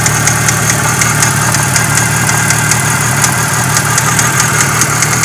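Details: Renault F4R engine: quick, regular light ticking over a steady idle, heard as a valve and possibly a connecting-rod bearing knock; source not confirmed.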